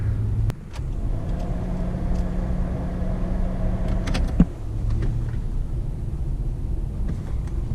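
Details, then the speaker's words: Turbo EG hatch engine first start after timing belt install, no alternator fitted: uneven, lumpy low rumble with shifting note; running rough, valves suspected to need adjusting, not confirmed. "so i just got off the phone with omar and he was telling me that if the valves aren't adjusted um it'll do exactly what it's doing right now"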